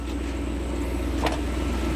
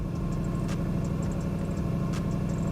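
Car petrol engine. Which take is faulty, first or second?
second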